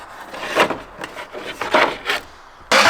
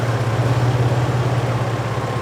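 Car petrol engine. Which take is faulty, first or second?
first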